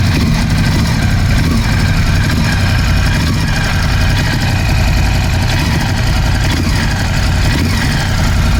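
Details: Ducati Scrambler 1100 V-twin idling after replacing the horizontal cylinder and piston: loud uneven idle with a dry tapping knock on each firing; suspected piston slap, not confirmed.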